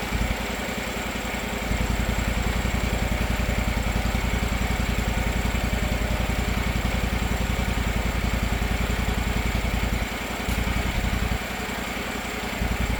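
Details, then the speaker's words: Gravely 260Z zero-turn (about 2006) Kawasaki FD750D V-twin after new aftermarket carburetor and idle screw reset, not fully warmed up: steady even idle, no surging or hunting; sounds healthy. "No surging at all. Of course, not totally warmed up yet, but sounds pretty good. Sounds great."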